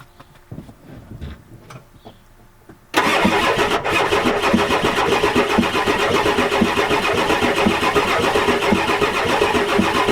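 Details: 1993 Ford F-250 7.3L IDI diesel: starter churns steadily for seconds with no firing; cranks but won't start, glow plugs not working, bad return line and O-rings, injection pump suspected.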